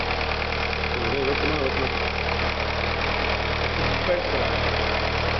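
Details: VW Sharan started after engine repair: engine catches and settles into a smooth, even idle with a steady low hum, no knocks or misses; normal idle.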